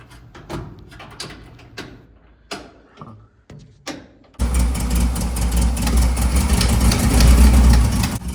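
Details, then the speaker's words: Loose tapping, then an uneven, lumpy idle wanting to stall on a rebuilt air-cooled 1958 Karmann Ghia engine. Cylinder 3 works but cylinder 1 gives no response, a dead cylinder from tight valve lash. "Cylinder 3 is working just fine. Cylinder one, I'm not getting any response. And that's not good."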